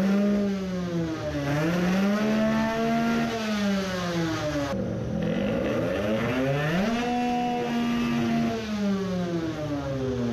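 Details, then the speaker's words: 50cc two-stroke racing moped, fuel line shut off to test whether it runs too rich: revs swing and climb sluggishly and woolly, revving maybe slightly better but misfiring badly; cause still unresolved. "it reved maybe a bit better but it is misfiring badly"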